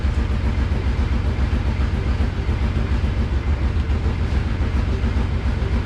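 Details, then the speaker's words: Ex-four-wheeler engine in a golf cart build, after replacing the bad fuel pump and turning the idle back down with choke off: deep, steady even rumble with no stumbles; now idling properly. "so finally that clicked and so I just went and turned the idle down and as you can hear now it runs perfect"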